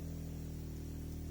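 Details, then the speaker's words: Citroën Grand Picasso with the rear air suspension sagging: with doors closed, a short steady low electric hum as the compressor pumps the suspension back up to normal; the cause of the sagging is still unresolved. "aha that's hopeful now that's the pump working pumping the suspension up to normal can you hear it jolly good"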